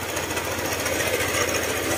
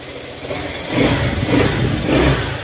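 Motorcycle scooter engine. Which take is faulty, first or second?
first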